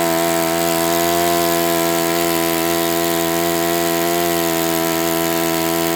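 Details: Enya 46-4C four-stroke model engine on a test stand, 11.5 prop, air bleed opened 1/4 turn: steady, high-pitched buzzing run at constant speed with a rough, gritty edge; owner suspects it needs new bearings.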